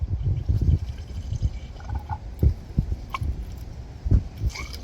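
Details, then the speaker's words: Pittsburgh 1.5-ton low-profile jack, stuck piston repair, bleeder screw removed, handle turned counterclockwise: irregular gurgling spurts and low thumps with each pump stroke as trapped air is purged, repeated until noise stops. "And now that we've turned the handle counterclockwise, we're going to go ahead and then start pumping it. And we want to, basically you could hear the air coming out there."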